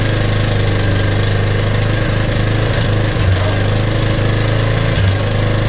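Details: Kawasaki KLF300 Bayou quad, pulled from a scrap metal yard, running after a new spark plug and a little fuel poured into the cylinder: steady low single-cylinder thump at an even idle, no misses or stumbles; engine running normally.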